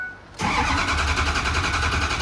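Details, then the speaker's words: Ford Powerstroke diesel after Ford reman injectors broke in half: quick crank, then a clean catch and a steady, even diesel idle. It fired much better than during priming, but the driver-side injectors remain doubtful. "hey at least it fired though it fired a lot better than we was trying to Prime up the system"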